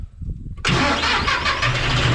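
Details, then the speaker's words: John Deere 5065E tractor after its failed starter was replaced with a cheaper aftermarket starter that spins the engine faster. A short, brisk crank, then the diesel catches almost at once and settles into a steady clatter. Normal cranking and start. "Well, I got several more bales to get out of here, but let's hear it one more time. Oh, it sounds great."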